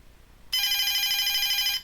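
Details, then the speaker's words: DSE FP-200 telephone ringer circuit fed directly from a bench supply: shrill warbling ring lasts just over a second above a quiet background; ringer circuit works. "if I switch the power supply on it makes a ringing noise doesn't it I think you can hear"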